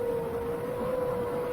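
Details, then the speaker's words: Seven-inch FPV quadcopter motors: a clean, steady high whistle rides over the motor drone only in certain RPM ranges. It is thought not to be a loose prop and may be a resonance; the cause is unconfirmed. "what I'm specifically noticing is that whistling sound comes in at certain RPM ranges"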